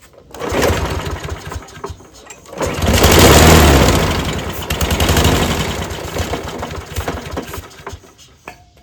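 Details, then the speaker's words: Craftsman push mower stored over 2.5 years, started on carb cleaner sprayed into the intake with the air filter off: it sputters unevenly for a few seconds, then dies. The owner suspects weak compression felt at the pull cord. "All right, it's not wanting to run on gasoline for some reason. This thing may have low compression."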